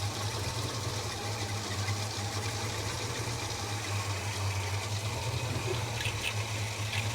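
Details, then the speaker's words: Holden HK V8 just after a spark plug change, with fresh 20W60 high-zinc oil, idle being adjusted: low, uneven burble with a faint hiss. It is running rough and needs re-tuning; the cause is not confirmed. "how will she sound a lot smoother yeah she's running a bit rough it's gonna need to re-tuning"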